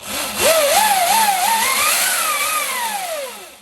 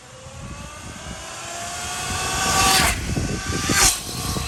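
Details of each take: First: 72V Sur-Ron electric dirt bike after fitting a primary chain conversion kit replacing the belt drive; loud whine climbs in pitch with throttle and falls as it closes, loudest about halfway up; primary chain drive whine. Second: 72v Sur-Ron electric dirt bike with stock belt drive, before primary chain conversion, passing by: motor whine rising and falling with throttle, smooth quiet drive, no chain clatter.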